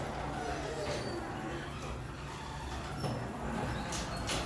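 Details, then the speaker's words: Two-car garage door with torsion springs opened by opener before lubrication: steady hum with high squeaks and dull thumps; hinges and metal contact points to be lubricated with silicone spray. "All right, you heard all the squeaking and thumping."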